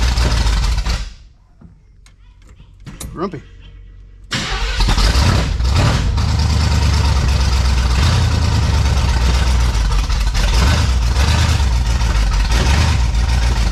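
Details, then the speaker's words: 1971 Chevelle wagon V8 after new front brakes: fires after a short crank and settles into a lumpy, uneven, loping idle; rough running after start. "good enough for me a little grumpy but we got brakes"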